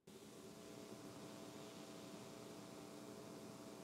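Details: Cheap Pyle speaker amplifier at about 7 o'clock volume, microphone held up to the speaker with no music playing: steady, even hiss with a faint hum underneath as the amp puts noise out.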